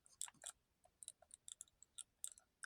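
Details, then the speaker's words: Cheap lightweight-shell PlayStation-style gamepad from a broken lot: sharp papery ticks and scrapes with each analog stick movement as the return springs rub between the potentiometers; one of the worst-quality pads. "can hear I can hear the Springs rubbing rubbing in between those potentium meters"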